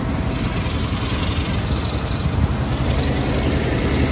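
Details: 1980 Chrysler Cordoba (43 years old) with a mechanical gauge reading 40 psi oil pressure: steady, even low rumble with no ticking or knocking at idle; idling cleanly and healthy.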